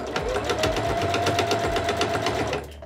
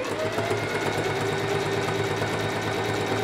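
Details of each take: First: Household sewing machine deliberately fitted with a badly dull needle (needles need replacing about every eight hours of sewing): steady dull thumping about four times a second as it sews, the sound of a blunt, worn needle. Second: Sewing machine after re-threading with the thread in the take-up lever: smooth, even stitching rhythm about three strokes a second, no knocking or jamming; normal running after the fix.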